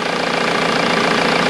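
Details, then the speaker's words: Ford VH Transit diesel after replacing the fuel pump timing solenoid, which had caused loud diesel knock, power loss and code P0149: even idle with a light rev blip, steady clatter, no rattle. Engine running normally. "can you rev it a bit the seat is sounds normal excellent"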